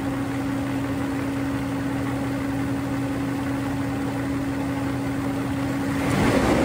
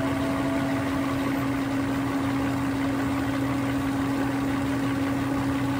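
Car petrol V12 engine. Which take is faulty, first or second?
first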